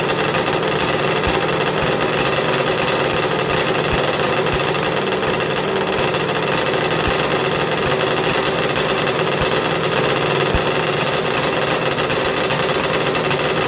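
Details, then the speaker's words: 1994 Arctic Cat Thundercat, rebuilt 1050cc Hooper big-bore triple two-stroke with ceramic-coated pipes, warming up on its heat cycle after first fire-up: a loud, busy, violently noisy buzz held at a steady idle with no misses or surging. Normal two-stroke idle. "we're gonna heat cycle it we're gonna get it warm make sure we don't have any air locks and uh yeah this thing's kind of violently noisy"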